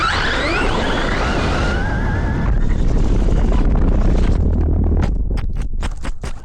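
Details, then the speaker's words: GTFans M606 1/12-scale brushless 4WD RC truck after landing a jump under power: electric whine rises and falls, then rough gravelly drivetrain noise with sharp clicks as it slows. The front differential had a chipped tooth, later confirmed on teardown. "It sounds like maybe the front diff. I don't know. I landed it on power, so it probably chipped a tooth."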